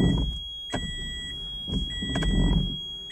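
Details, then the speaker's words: Q'Straint QLK-150 wheelchair docking system in van, ignition on with no wheelchair docked: shrill electronic alarm pulses about once a second warning the chair isn't locked in, silenced by button. "hear that squealing noise that's warning me that he's not locked in at that point i need to push this button down here it says silence the alarm and it'll turn that off"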